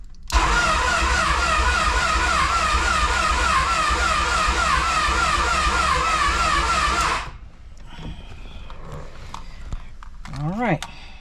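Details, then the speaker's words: G23 engine fitted with a notched intake manifold: seven seconds of long, labored cranking and sputtering with a wavering note before it dies, a hard start; owner suspects the TPS, which was tripping out. "right so my TPS was tripping out so that would make it harder to start but uh I don't know let's see"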